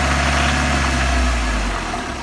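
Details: VAZ 21124 16V engine at idle: a dull, even knock under the engine note that sounds the same cold and hot; the owner cannot tell what is knocking.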